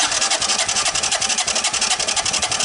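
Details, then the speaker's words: 1983 Honda ATC200E, partially seized barn find, cranking during compression test with plug out and oil added: fast even cranking pulses about ten a second, each with a hissy rasping whistle; possibly a bug nest in a crankcase vent line, unconfirmed. "I don't know what that whistling is. It might be one of the, it might be that a bug put a nest into one of the vent lines, and when you turn over the engine, you build up crank case pressure."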